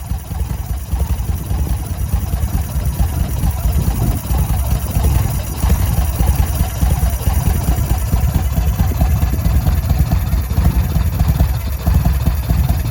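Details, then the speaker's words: 2005 Yamaha Road Star V-twin first start after about five years sitting, brand-new battery: lumpy uneven idle with irregular low thumps and stumbles, hesitation; rough running, starter sometimes not fully engaging. "i am fairly surprised that she did actually start up it does sound like we've got some this is a brand new battery it's topped off it's got its full voltage sounds like the starter is not fully engaging sometimes and it may just be that it's set for so long it's seizing up but it did start did have some hesitat"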